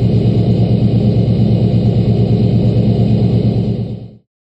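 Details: LBZ Duramax diesel pickup at 9000 ft altitude, cold start at -11°F after a -12°F night, one grid heater cycle: deep steady rumble at raised cold high idle with a faint turbo whistle above it, normal.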